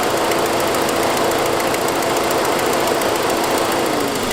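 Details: 2006 Saab 9-5 petrol engine idling with a fast, light ticking that keeps time with engine speed; followed a noisier turbo sound; caused by an exhaust leak from a broken forwardmost exhaust stud, not a lifter.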